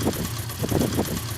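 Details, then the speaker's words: 70cc motorcycle single after tappet adjustment; idles with an even putt-putt about three beats a second and no tappet clatter; valve clearances correct, normal idle. "इस साड़ी में कोई आवाज नहीं है बिल्कुल spoon है गाड़ी यह आवाज हमारी सारी बंधु है जी"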